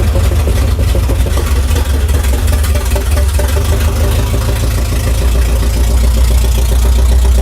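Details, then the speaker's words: 1968 Dodge Charger V8 (about 200 hp) on first start with the carburetor float bowls hand-filled through the vent tube, fuel not yet picked up from the tank: loud, lumpy, ragged stumbling beat; rough running engine, cause not yet known. "yeah it runs but there's only a couple issues one of which is it sounds like an absolute turd this thing makes 200 horsepower"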